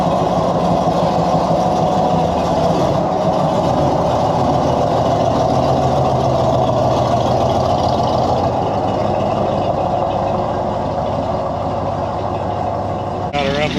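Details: Cobra idling cold after converting from leaking steel fuel line to flexible AN line with Aeromotive filters: even, steady low rumble with no misses, knocks or hissing; runs cleanly, healthy.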